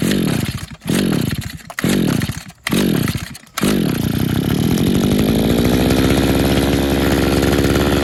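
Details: Used RedMax two-stroke edger (bought 2010) after repeated Sea Foam doses. It revs, sags and nearly dies several times before settling to a ragged run, bogging on throttle. The owner suspects a clogged carburetor jet.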